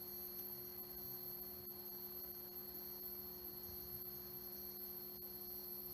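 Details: 1976 Bulova Accutron 219 tuning-fork watch: quiet, perfectly steady high-pitched hum with a few faint clear tones; movement running normally.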